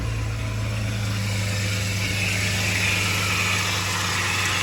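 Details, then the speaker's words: Engine at idle: steady loud high whine over the engine note from the belt accessory area, consistent with a worn belt tensioner pulley bearing. "i don't know if you guys can hear it but it's coming from this area right here um this loud uh whining noise"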